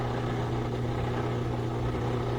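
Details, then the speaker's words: Whirlpool direct drive washer after reassembly: steady low hum with airy sucking edge as the drain pump spins dry with no water, frequency changes; normal. "now we hear the dry sump spinning but it's just hitting air so the frequency changes different sound"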